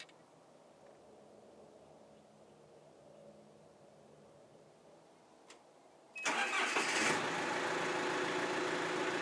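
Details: 1994 John Deere 310D backhoe after auxiliary hydraulic valve repair and auger motor rebuild; quiet idle, then a sudden loud steady rush and whir as the auger circuit engages and holds, hydraulics working normally.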